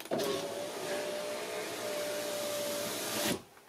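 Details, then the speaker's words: 2006 Audi A3 Sportback 2.0, rear window regulator just replaced: smooth, steady motor hum for about three seconds, stopping cleanly with no grinding or clicking; window works properly. "Ah bah c'est magique, ça marche."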